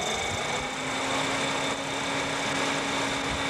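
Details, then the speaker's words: 1992 Ford Taurus two-speed electric fan fitted in place of stock fan, high speed switched on (normally at 190°, low speed at 180°): steady strong rush of air with even hum, no rubbing or ticking; normal high-speed fan. "but here is the highspeed which does push push out some major cfms"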